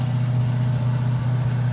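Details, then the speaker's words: 1977 Lincoln auction find, not run in decades, first start, heard at tailpipe: deep, even V8 burble, steady beat, no misses, only the faintest pop that then stopped; normal idle exhaust note. "If it's popping, I don't hear it. If it's sucking in and pushing out, this has almost perfect the most minor of pops, which you got to expect."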